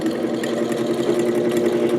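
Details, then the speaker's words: 1949 GE Vortalex 12-inch desk fan before repair, on third speed: fast, even rattling throb over a steady motor hum as the blade runs badly out of balance; owner suspects a bent shaft. "Ooh, off balance. Oh, boy. Really off balance. Um Oh, Looks like it might even have a bent shaft. That's not good."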